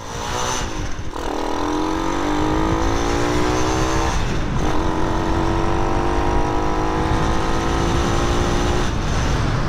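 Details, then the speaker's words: Grom clone motorcycle with a new Nibbi carburetor and a baffled exhaust, on a test ride: the engine note climbs cleanly through two upshifts without hesitation, and throttle response is much improved. Normal acceleration. "I gotta say, YouTube, the throttle response is way better."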